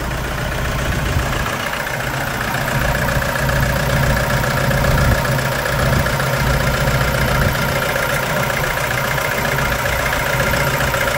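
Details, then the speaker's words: 2011 Toyota Hilux 2.5 diesel lacking power: rough, lumpy idle with irregular knocks about four per second, misfire from contaminated fuel; scan shows pump valve code, needing injector, pump, line and tank removal and cleaning. "isso que você está vendo na tela é um motor diesel falhando Hilux 2.5 olha ó"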